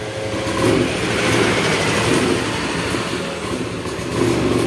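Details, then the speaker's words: Honda Scoopy ESP injection scooter, hard to start and stalling, with borrowed battery: engine note rises and falls every second or so instead of settling, an unstable surging idle; pressure reading weak and needle fluctuating. "ya lah ini ya stasionernya naik turun mesinnya ya di sini untuk tekanannya lemah"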